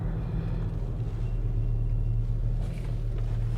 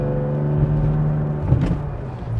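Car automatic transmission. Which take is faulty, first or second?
second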